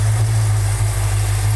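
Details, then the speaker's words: Restored Dodge Charger V8 at first start after restoration, fuel pumped from tank; deep, steady, even idle burble with no knocks, ticks or misses, 60 psi oil pressure at idle; healthy. "Sounds good. Maybe rattled. Sounds really good. 60 pounds of oil pressure at an idle."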